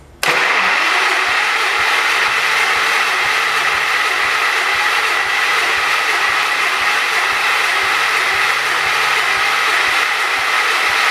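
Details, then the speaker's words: John Deere 212 garden tractor cranks steadily with a regular churning beat but never settles into a run; owner hopes it is getting fuel and suspects a loose connector; hard starting. "So if you guys didn't hear it, it took. I heard it. I heard something."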